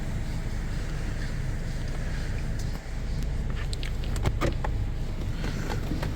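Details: Peugeot 3008 running after a no-start following battery replacement was fixed by reseating a battery fuse: quiet steady low rumble, no knocks, misses or whine; healthy even idle.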